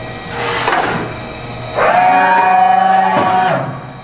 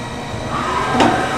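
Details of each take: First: 1995 Okuma & Howa Millac 511V CNC vertical machining center being jogged: the X-axis gives a slightly rough, moaning whine unlike the quiet Z and Y axes; replacing the thrust bearings on the ball screw ends should quiet it. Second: 1995 Okuma & Howa Millac 511V CNC vertical machining center: the Z axis jogs with a smooth, even, quiet servo hum and a soft rising tone, sounding healthy; the X axis, by contrast, is noisy.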